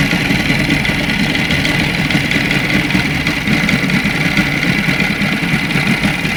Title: Лодочный мотор стук шатуна на холостых. Москва.